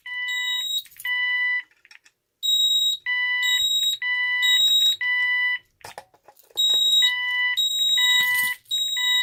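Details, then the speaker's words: Ademco 6139R alarm keypad with the fire zone activated: loud high-pitched fire-alarm beeps in bursts with uneven gaps and dropouts. The sounder stutters slightly, but less than the other keypads. "So as you can hear, this one does stutter a little bit as well, but it doesn't stutter as bad as my other keypads."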